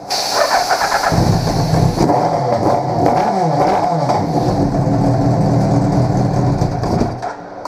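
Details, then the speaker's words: 2000 Suzuki Hayabusa GSX1300R: rough start and lumpy idle, won't rev until fuel tank is pressurized with an air hose, then revs; insufficient fuel pressure, pump weak or clogged. "just like that all of a sudden we can revs and stuff which means we have a problem either the fuel pump isn't producing enough fuel pressure"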